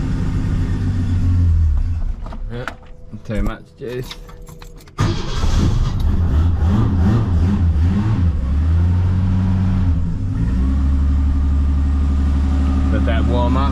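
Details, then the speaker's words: Holden LH Torana started on choke after years sitting, with new hoses and radiator; stumbles briefly then settles into a smooth, even low idle with a steady beat, running sweetly. "as you can hear there she purrs along really nicely actually it's got a nice sound to it nice note"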